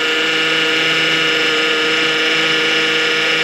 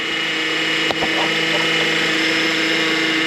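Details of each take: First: 2009 Honda Accord at idle, just after topping off power steering fluid that was aerating and bubbling: even pump hum with no groaning; the pump got a lot quieter. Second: 2009 Honda Accord at idle: steady power steering pump whine, steering still works fine; fluid in the reservoir is aerating and bubbling; fix was topping off with Honda fluid and replacing the cooler tube, hoses and serpentine belt.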